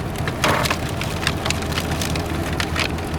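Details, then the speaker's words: 2023 Chevy Tahoe Z71 from Copart, engine bay full of mud and twigs: engine runs well, but sharp irregular cracks and snaps are heard as the cooling fan strikes and flings debris. "The thing sounds great. I mean, it sounds really good, except for all the debris flying"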